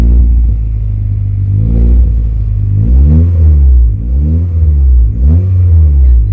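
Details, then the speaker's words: Corsa B with rebuilt C20LET engine started for the first time after reassembly; deep, lumpy rumble with uneven blips as revs rise and fall, high-pitched rumbling noise, running rough and over-fuelling, fuelling to be adjusted. "Yeah, it's over fueling like fuck. Ah, she's over fueling, but I'll probably adjust the fueling."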